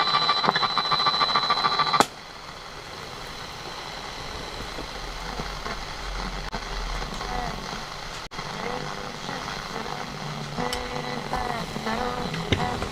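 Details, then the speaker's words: Roberts R600 early transistor radio after replacing AF11x transistors and capacitors in the Mullard module and main-board capacitors: harsh, gritty, crackly playback; distorted output, repairer suspects a faulty transistor, not confirmed. "No, see, it's distortion in that as well. So we've got a transistor gone there, I reckon."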